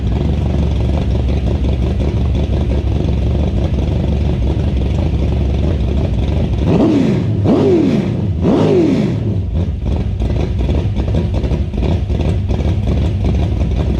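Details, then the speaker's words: Freshly finished IMCA stock car V8 engine build, exhaust note: deep steady rumble with a few crisp revs rising and falling cleanly, no knocks or misses; sounds good, a healthy engine. "Ooh, baby, she sounds good. All right, guys, that is pretty much a wrap on the IMCA stock car motor."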